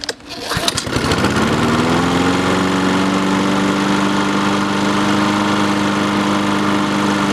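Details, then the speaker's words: Free roadside Honda-engined lawnmower after its fuel valve was turned on and choke used. It catches after a couple of pulls and settles into a steady, even drone: normal running. "cool that's sick it works"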